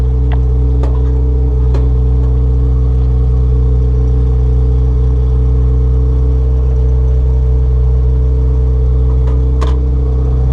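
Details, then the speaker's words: 1992-1995 Honda Civic EG hatchback after D16Z6 to B20V turbo engine swap, kept short to avoid overheating, clutch master cylinder not yet bled: smooth, deep, even note with no knocks or misses; engine running cleanly. "Sounds like it's running really well. I didn't want to overheat it because I still need to bleed out the clutch master cylinder from when I disconnected it earlier."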